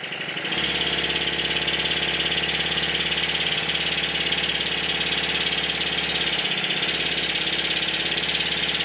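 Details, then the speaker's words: Stuart triple-expansion model engine after the eccentric sheaves were reset: even, quick chuffing beat at a steady pace with no knocking; running smoothly and healthy, with good power at the flywheel. "in the next clip no knocking by gripping the flywheel I can feel how much power the engine has"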